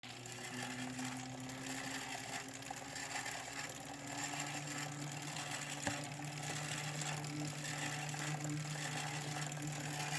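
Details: 2017 Wahoo Kickr trainer: steady whirring hum with a rough continuous scraping texture; something rubbing inside, source unclear.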